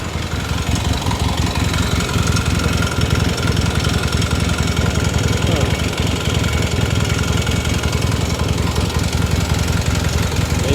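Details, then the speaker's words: 1978 Yamaha XS650 twin first started after winter storage, running on both cylinders at idle; uneven idle with light rapid clatter, owner suspects a valve and hopes it oils up and goes away. Ticking noise at idle. "Make sure we're running on both. Yeah, we got got a little Let's see if it just if it oils up and it goes away. It's running on both. It's making a little bit of racket."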